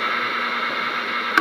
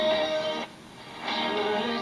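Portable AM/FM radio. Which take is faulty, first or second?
first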